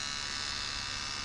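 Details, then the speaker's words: Refurbished 1984 D. C. Johnson FAC-1 lambda control unit for K-Jetronic (CIS) fuel injection on calibration test: once the cold-start switch opens, it enters closed loop with the oxygen sensor controlling duty cycle, and the frequency valve gives a constant, even electrical buzz. "Once the cold starting switch opens up, after a brief delay the unit will switch into closed loop at which time the oxygen sensor signal controls the duty cycle."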